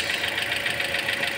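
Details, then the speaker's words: Toyota Altis at idle during cooling-system bleeding after AC compressor replacement left coolant unfilled: fast even ticking knock over hissy background, knock returned after coolant added; waiting for fan/thermostat to open. Cause not confirmed. "aan naman yung naking niya bumalik na naman testingin lang natin t nawawala may naking kasi doon eh"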